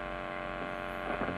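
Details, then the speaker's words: Electric guitar before shielding, through an overdrive pedal at maximum gain: a steady low buzz of mains hum with stacked even tones that stays put when the strings are touched. "ketika kita lepaskan Hai akan ada noise seperti ini ini adalah posisi clean tanpa ada efeknya"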